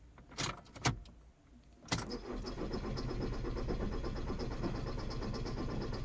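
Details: VW Passat 2.0 TDI diesel no-start: a couple of clicks then steady rhythmic cranking that never fires; no fault codes, cam/crank synchronization OK, fuel pump not running due to bad contact at connector pin.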